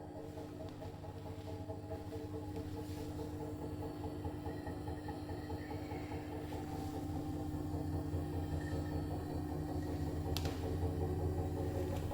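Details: Brand-new Bosch Serie 4 EcoSilence washer, technician-installed, transit screws removed, balanced: spin from about 400 to 1400 rpm, loaded or empty, steady low hum and rumble rising with speed, loud strange drum/spindle noise while brushless motor quiet; cause unclear.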